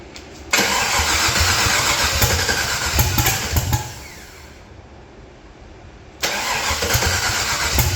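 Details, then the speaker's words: Datsun ("Fatsun") project with LS swap: fast even cranking whirr, pause, then catches into a rough idle; starts now that spark is restored. "that's fire dude but I'm not going to run it until we're on live stream"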